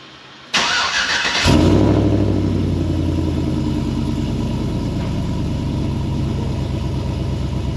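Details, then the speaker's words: First start-up of a high-mileage 21-year-old GMT800 Chevy Silverado/GMC Sierra 1500 V8 after fitting used long-tube headers: brief crank, then the engine catches and settles into a deep, even, loud idle; normal start-up. "so far I am impressed. That sounds really good."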